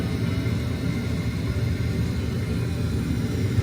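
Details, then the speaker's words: Attic gas furnace restarted after sensor reset, heat call by touching red to white wire: inducer fan starts first creating vacuum, steady even low rumble, no knocks or rattles; normal. "Again, this is start the first. Radiate vacuum, like what we said before."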